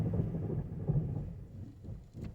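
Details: 2009 Mazda5 driving in Drive after a transmission fluid change: deep, rough grinding rumble from the front that surges with wheel rotation, worse than before the change and better in reverse. The owner suspects the transmission, not the wheel bearings.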